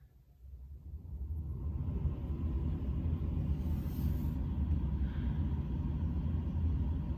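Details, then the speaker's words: OEM van blower motor on PWM fan controller switched to high, drawing about 10 amps: ramps up within two seconds to a steady deep airy roar with no ticking, grinding or squeal; normal blower on high. "Okay, so the blower on high uses about 10 amps. Nice."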